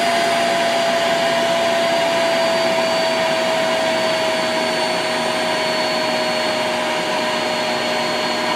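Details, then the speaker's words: Vacuum cleaner with universal motor on a BN-LINK plug-in variable speed controller, started on high then set to lowest: steady even whine and airy rush, no surging or rattles; runs normally at low speed with less suction. "so there you go that's on the lowest it's still as suction but not like it does on [Music] high"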